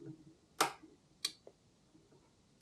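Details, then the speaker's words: E-bike accessory wiring, automotive relay powered from a DC converter and switched on and off by a switch: three sharp, crisp clicks, each with a fainter echo, as the relay switches normally. "you can hear the relay turning off and on so we know that's good"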